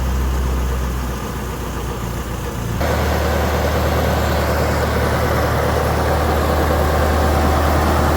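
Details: Wisconsin Motors V465D air-cooled engine, Teledyne era, low hours, ex-concrete saw, cleaned out and tuned: fires up and settles into a steady, even beat about 200 per minute, no misses or knocks; runs like a top, nice and tight, healthy.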